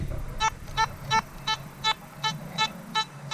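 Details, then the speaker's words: Metal detector test comparing Nokta/Makro Simplex+ and XP Orx on factory settings: clean, steady repeatable beep about three times a second on each sweep over a buried silver Morgan dollar, reading a solid 93 to 95 VDI. "Alright, it's hitting that nice and solid. That's a very repeatable signal that I would dig all day long."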